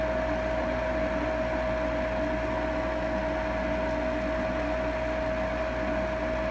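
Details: Lennox Elite G51MP 90-plus attic furnace, blower kicking on after the draft inducer motor was replaced; steady whoosh of air with a constant even hum, no rubbing, ticking or wobble; blower running normally.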